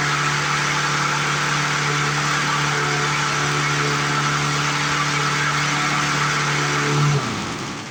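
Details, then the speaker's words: 1997 Lawn Chief 3.75 hp 20-inch push mower saved from scrap, smoking off sprayed penetrant: single-cylinder engine screams at a steady, very high pitch without governing down, then cuts out; overspeeding from a bent governor vane. "That just seems way too high to me. Seems way too high. Not liking it. You would think there would be I mean, I know the governor regulates the top RPM, I understand that part."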